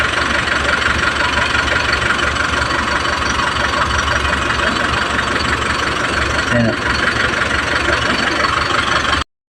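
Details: Isuzu 4JH1 Euro4 diesel after repair, including injector work; it used to stall when running off throttle. Steady, even idle with a constant, knock-free rhythm and no stumbling or dying; running normally.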